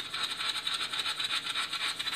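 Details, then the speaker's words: High-pitched crackling buzz pulsing about six times a second, very regular: data being transmitted by 24 Hydro-Québec smart meters in an apartment-building basement, heard as normal meter data traffic. "Ça, c'est du data qui est transmis. On entend le data qui passe. Alors, ça bourdonne."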